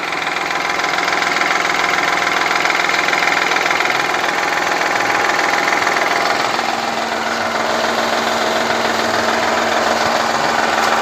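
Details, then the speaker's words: Honda Elysion 3.0 V6 with cylinder deactivation, warming up: steady knock three to four beats a second, heard by stethoscope from oil pan and first (deactivating) head, not second head; cause unknown, runs rough. "поддон слушали в общем звук исходит тоже с поддона вот в с первой головы тоже этот звук слышно а второй головы этого звука не тот"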